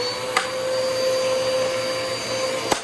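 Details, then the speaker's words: Eureka Powerspeed upright vacuum pulled from the trash, running with a stretched belt and dirty filters: loud steady motor whine with a couple of sharp clicks; runs harsh and rough, cause not evident. "This is just... that sounds so bad. Yeah, this thing is rough."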